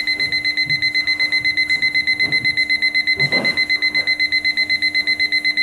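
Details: Time-piece alarm clock buzzer after tapping it to raise its low volume, sharp high clean beeps about four per second; normal buzzer alarm.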